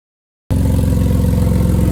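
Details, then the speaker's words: Inherited Jeep Liberty idling with a loud, raspy, puffing exhaust note from an exhaust leak, before the leak is wrapped with exhaust tape as a cheap temporary fix. "So it's got an exhaust leak. We bought some tape. We're gonna try to fix it for $6."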